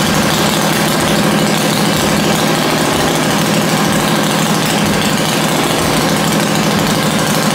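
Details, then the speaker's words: Dale's rigid Shovelhead chopper after static ignition timing with plugs refitted: loose, loping potato-potato beat holding a steady low even idle, no misses or stumbling; properly timed, normal idle. "so this is now static time so I put the plugs in and we'll give it a run hopefully it starts easier and idle's better so let's see what happens"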